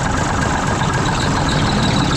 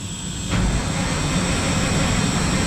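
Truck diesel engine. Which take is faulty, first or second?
second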